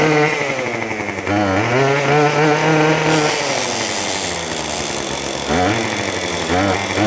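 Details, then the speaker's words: Craftsman WS2400 two-stroke pole saw after refilling with freshly mixed fuel, before carb adjustment: revs sag and lag briefly on each trigger squeeze, then wander unevenly; hesitation milder than before. "when squeezing the trigger there is a bit of delay and body down response but not as bad like before"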